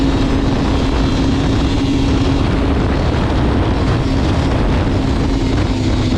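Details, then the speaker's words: Liquifire snowmobile two-stroke at 20 degrees, after setting the choke plunger adjusters 1.5 turns to 0.030 in. It had been bogging from quarter throttle up. It now pulls with a steady, even drone under throttle and no bogging; the problem appears fixed. "all right now that's definitely more like it's supposed to be I think we got her fixed"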